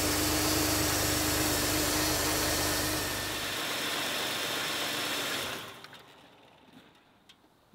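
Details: 1991 Oldsmobile Ninety-Eight, 3.8L 3800 V6, idling after new serpentine belt fitted, before fuel pressure regulator replacement: steady even idle with a faint constant whine, no chirp or slap, then shut off; belt good, runs clean.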